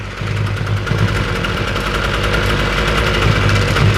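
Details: Ryobi weedeater, small two-stroke, that previously only ran on half choke, after the carburettor was taken off and refitted and idle turned up slightly: settles into a steady, even idle with no stumbling or surging; runs clean and holds idle.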